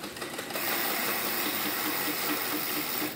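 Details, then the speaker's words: Bicycle: light rhythmic scrape about four to five times a second as the wheel spins; rim has many dents whose bulges hit the brake pad. "si escucha como suena porque padeció porque el ring ha sufrido muchos golpes abolladuras las cuales se salieron y hacen que una especie de montaña de tripita se salga y pegue contra la la zapata"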